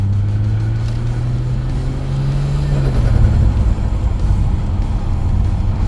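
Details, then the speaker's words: Ford FG Falcon with ZF 6-speed automatic after replacing heat exchanger with air-to-air oil cooler, road test: drivetrain hum steps down cleanly on upshift, no flare or clunk; power steering pump noisy; normal gear change. "Sounds like a funny supercharger, but uh gear changes are good."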